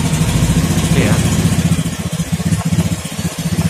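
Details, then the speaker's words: Honda Beat FI injection scooter hard to start: labored, uneven low pulsing about three to four beats a second, starter sometimes weak; stored DTC history points to CKP sensor, most likely dirty, or a peeled wire or poor socket connection. "ini berarti kadang kemungkinan terbesar untuk ckp nya kotor ya kalau nggak ada kabel yang sedikit mengelupas atau kurang konek pada bagian soket juga bisa karena masih bisa starter cuman agak Kadang iya kadang enggak gitu"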